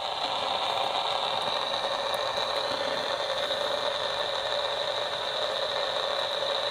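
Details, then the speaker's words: DIY AM superhet receiver, just finished wiring, antenna temporarily on clip leads: steady hiss with faint high whistle, no program audible; owner can almost make out something but doubts it's actually picking up the local station. "I can almost make out something in there but I've just I can't hear it so my my deal is I don't think it's actually picking up the radio station though"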